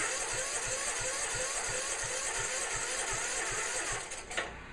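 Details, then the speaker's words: Sears Custom 10XL tractor after new ignition switch, voltage regulator, gas tank, carb and fuel lines, on an old battery clamped with vice grips, half throttle: sluggish, uneven cranking that never fires, probably no fuel yet; slow cranking from weak battery, no start. "sounds like we need to put the battery on the charger that off of it didn't sound like I had any fuel yet"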